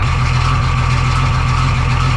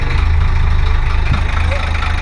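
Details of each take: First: 1985 Ford truck with Hino Japanese diesel: heavy idle with a loud, steady low clatter tied to engine speed; oil pressure light/gauge flickering, knocking with low oil pressure. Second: 1985 Ford Hino diesel truck revived after sitting: a deep, even diesel thrum at idle with no knocks or misses. Normal, smooth idle.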